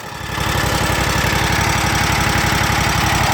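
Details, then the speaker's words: Kawasaki FX801V V-twin on a Kubota zero-turn with 400 hours, just after a cold start, after a valve adjustment: fast, even chatter of about four ticks a second, most noticeable at idle or low speed; valvetrain ticking, cause unconfirmed. "now to be it just sounds like an awful lot of chatter but let's give her a quick rub so to me it almost sounds more noticeable at idle or low speed"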